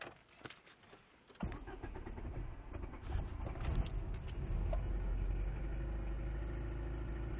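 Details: 1998 Jetta: cranks, catches and settles into a lumpy, uneven idle with stumbling beats; misfire with unstable idle, engine cuts out at 5100 rpm and dies after load unless given throttle when cold.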